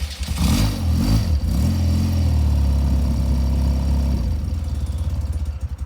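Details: 1993 BMW R100GS Paris Dakar, 75,828 km, last serviced Nov 2023 (valves, synchro, plugs), SLS removed; started without choke after a short ride, still a bit cold: deep loping twin thump settles into even idle, then stumbles and dies; normal idle, cold stall.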